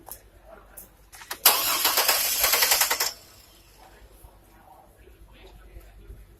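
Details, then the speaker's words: Car starter tested during voltage-drop checks with the relay pulled so the engine won't start; even cranking for about 1.5 seconds with no grinding or clicking, cutting off cleanly. Starter working normally. "But right now we're going to crank the car. We took the relay out so we don't have to start the car. We're just testing out the starter."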